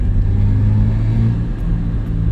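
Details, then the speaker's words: 2003 Suzuki Escudo SE416, G16B 1.6 L SOHC 16-valve multipoint-injection petrol, 5-speed manual, recorded inside while driving: steady deep droning rumble, coarse and uneven; engine sounds rough, owner unsure if normal for this series or wear. "terdengar mendengung dan kasar tapi gue nggak tau ya Eh Apakah semua Escudo seri ini mesinnya kayak gitu atau karena memang sih masih nyanyi aja agak udah kasar"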